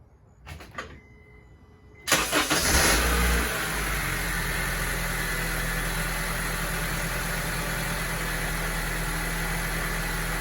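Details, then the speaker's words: 2007 Honda Civic started on jack stands after VTEC solenoid gasket work, oil topped up to correct level: crank, quick catch, brief flare, then even steady idle with no knocks or misses; normal. "So looks like we plugged everything in and it's fine."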